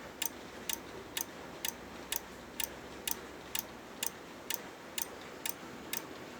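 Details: Corsair power supply making loud, sharp, even clicks about twice a second over a quiet hiss; repetitive clicking from the PSU, cause unknown.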